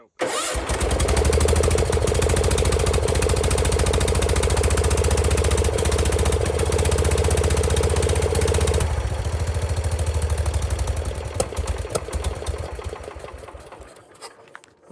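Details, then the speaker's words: Circa-1974 John Deere 140 garden tractor, single-cylinder, first start with new oil, fuel and filter; cranks, catches and settles into steady even thump, no knocking; sounds healthy, though reused carburetor bowl gasket leaks. "it doesn't knock or anything, but that car bowl is leaking."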